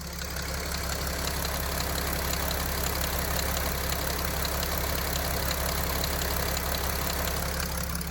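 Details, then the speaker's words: Mercedes OM642 diesel idling with low-pressure fault codes: light rustling knock over clatter, unrelated to crank or pump speed, seemingly following the timing chain, appearing with changed feed pressure; weak tank lift pump likely upsetting high-pressure pump drive. "Стук явно не связанный с частотой вращения коленвала, не связанный с частотой вращения топливного насоса, а очень похоже связанный с частотой вращения самой цепи."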